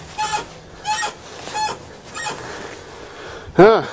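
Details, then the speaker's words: Chrysler Sebring rolling with a rhythmic squeak about every two-thirds of a second; owner first suspected the rear shock shaft, then a dry ball joint or control arm bushing; found to be the upper control arm ball joint above the spindle, later fixed. "might have a dry ball joint or something or control arm bushing I'll have to jack it up again and maybe give her a squirt of lube"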